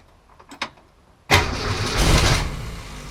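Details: Newly rebuilt '65 Ford Falcon engine, second start attempt after first rough run; clicks then catches with rough uneven surge and wavering idle, feels awfully rough, not quite starting; possibly flooded with fuel.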